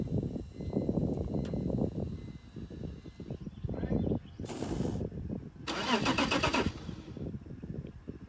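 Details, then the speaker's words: 18-year-old BMW 330i unstarted for years, after new battery, fuel pump and sending unit and cleaned injectors: starter turns the engine over in steady rhythmic pulses for several seconds but it never fires; crank, no start. "all right that's good well hopefully y'all could hear that it turned over but it didn't want to start so we got to do some more troubleshooting and figure out what other problems we have"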